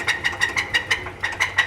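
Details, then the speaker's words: Hemi Ram truck after cam work: sharp, regular metallic clacks, about six per second, over idle from one bank, quieting as it warms. Suspected no oil reaching the cam because oil passages weren't cleared; not confirmed. "No, that's that cam, bro. That's that cam heating up. Yeah. I bet you there's no oil getting into that freaking, because when they pulled the cam, they didn't clear out the oil passages."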